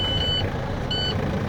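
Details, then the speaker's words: Truck air brake test, engine just started with air tanks at zero; high beep pulsing about every 0.7 s over running diesel; low air pressure warning sounding because tanks empty. "that's our audible sound for our area seeing it's empty"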